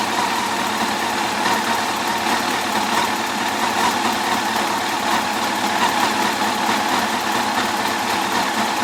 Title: 2004 FJR1300 - Ticking noise